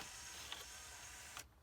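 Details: Denon DN-2000F MkIII CD player tray after repair (loose pulley replaced, slider greased): small motor whirs evenly about a second and a half, then stops with a soft click as the tray closes onto its switch, normal smooth travel.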